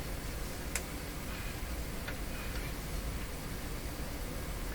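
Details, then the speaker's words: CBS Columbia Model 5330 vacuum tube clock radio powered via isolation transformer and bulb limiter: a few faint soft ticks over a quiet hiss; the clock motor is running normally. "here we go I here at the clock I see the clock oh my gosh this Clock Works"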